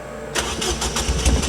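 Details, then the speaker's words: Ford Fiesta ST on E85 fuel, morning start with known battery issue: engine catches unevenly with choppy stumbling bursts before firing picks up; rough stuttering start, cause unconfirmed. "I don't know if you guys can hear that or not, but on E85, this thing like kind of stutters when it starts."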